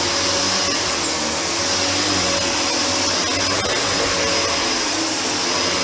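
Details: Panasonic MC-UG302 1900 W upright vacuum after its seized brushroll was freed: steady, even motor roar with smooth airflow hiss and no rubbing or catching from the brush; normal running.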